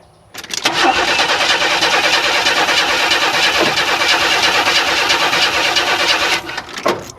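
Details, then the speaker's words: 1994 Chevy Astro Van after engine replacement, new starter fitted: cranks at an even rate for about six seconds with no backfire or kickback but never catches, a no-start still being troubleshot. "well at least it's cranking and it sounds like a normal crank I don't hear any any backfire or push back"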